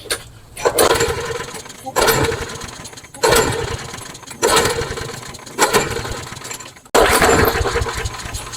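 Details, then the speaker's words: Craftsman mower with Briggs & Stratton engine that runs fine on its own fuel once going: six pull-starts, each a brief rasp that dies without catching; it won't start on its own without starting fluid. "No, it doesn't. It won't start on its own. Let's give it another spray."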